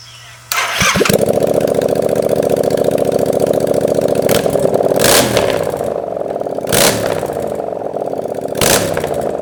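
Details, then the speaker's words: Honda Grom with 700cc Yamaha FZ-07 engine, first start-up with fuel pump running: catches on the first try, settles into an even idle, then several clean, crisp throttle blips; normal running and revving. "We've been working on this thing so long, and to finally hear it run has us feeling like nothing else."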